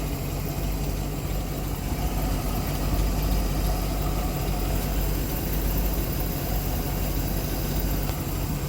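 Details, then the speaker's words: Mercury MerCruiser 898 boat V8 after intake gasket replacement, idle turned down from 950 to about 750 rpm with timing at 10 degrees: low steady rumble, no misses or knocks, smooth normal idle. "We're going to turn it down around 750, whatever sounds good for you. I'm about good with that right there for my idle."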